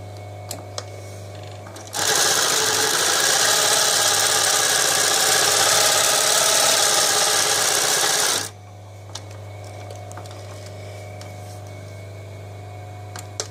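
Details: Podolsk class 332 post-bed shoe sewing machine with needle feed and both upper and lower rollers driven: about six seconds of fast, even clatter at steady rate, starting and stopping cleanly; normal smooth running.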